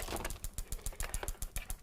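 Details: Engine just started with a scope connected. Crisp, even clicks about seven a second: the injector pulsing normally.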